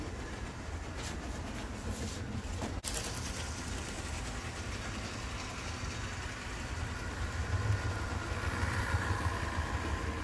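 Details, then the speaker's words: Bachmann HO scale PCC trolley rail buses bought used, motors cleaned (one fried motor dealt with): steady low whirr from small electric motors, settling smoother and quieter once up to speed, running fine. "they have once they get up to speed they sound smoother and quieter"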